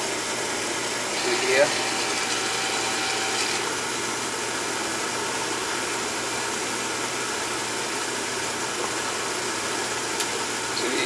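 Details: Oil furnace at annual service, thermostat jumped out, bleeding air from the oil pump: steady even flame roar with low motor hum, no sputtering or pulsing, burner firing cleanly; normal burner operation.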